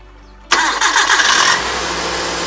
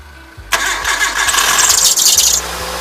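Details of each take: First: 1997 Hyundai Accent with front accessory belt, after fixing a belt that squeaked on startup: engine cranks, catches and settles into an even idle with no squeal or chirp; belt now quiet. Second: 1997 Hyundai Accent at start-up: engine catches and a sharp high squeal rides over it for about two seconds, then fades as it settles. Caused by a loose alternator belt, which can come off.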